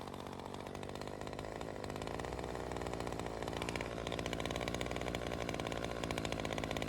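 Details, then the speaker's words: Ryobi CS 30 two-stroke trimmer test run after teardown, new adjuster fitted: buzzes high and slightly uneven, hunting at speed; still lean from an air leak, owner suspects the homemade intake gasket. "still has that air leak and I am probably going to guess it has something to do with that little homemade gasket"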